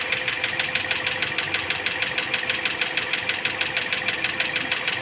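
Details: Toyota Altis after AC compressor replacement with coolant left unfilled, bubbling coolant being bled: sharp regular ticking knock about three per second over the idle, cause not pinned down.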